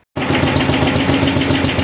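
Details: 1973/74 MTD 990 with Briggs "Big Block" Flo-Jet carburetor after rebuild, jets being tuned, float suspected for fuel starvation and carb blow-by noted: small single idles with quick, even beat, steady pitch, no stumbling or misses; idle set right.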